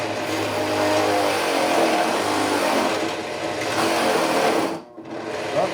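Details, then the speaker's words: Harbor Freight Central Machinery 8-inch drill press, belt needing adjustment, boring wood with a used 1-inch speed bore (spade) bit: steady motor drone under cut, then sound drops out as the bit overloads and stalls it. "we stalled it."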